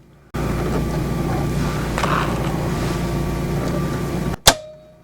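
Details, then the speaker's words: Generac standby generator heard through open cellar windows, powering the house after the transfer switch actuated: a steady, even drone and low hum holding constant, then a metal clunk. It runs smoothly under load. "there it is now the house is on generator power I'll let it run for a few minutes"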